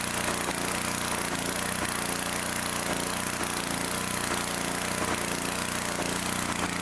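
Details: 2-cylinder engine, reassembled with the plug back in, runs loud with a faint lopsided beat about twice a second, one side still cool; later traced to backed-out bolts letting the intake manifold suck air.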